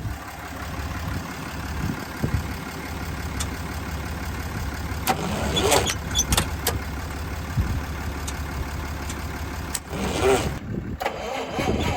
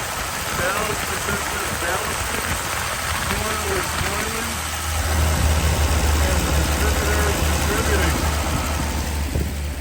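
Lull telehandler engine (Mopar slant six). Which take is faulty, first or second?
first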